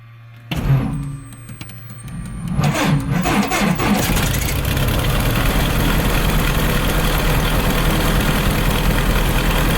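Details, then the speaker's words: Cessna 177 Cardinal, carburetted engine without chokes, mixture rich, brakes held, fuel pump pressurised: pump clicking, short crank, then catches and settles into a steady, even low idle; normal start and idle. "And with my feet firmly pressed on the brakes, I'm about to start the engine. Mixture rich and clear prop."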